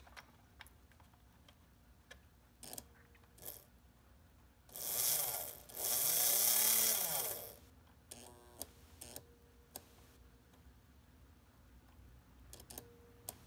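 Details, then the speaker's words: Märklin SK 800 toy car motor (about 1945), restored from stuck, retested after cleaning the gear and oiling to loosen it. Scattered light clicks, a few reversing-unit misclicks (contacts possibly misaligned or dirty), then a smooth whir rising and falling with speed. Normal running. "yeah it's running great we had a few miss miss clicks on the reversing unit but that's that's pretty normal"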